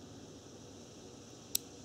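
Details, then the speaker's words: Automotive cooling fan relay bench-tested with about 12 V from RC battery on terminals 1 and 2: one crisp click as contacts pull in, as expected. "starter relays relays for actually you can hear it click well then"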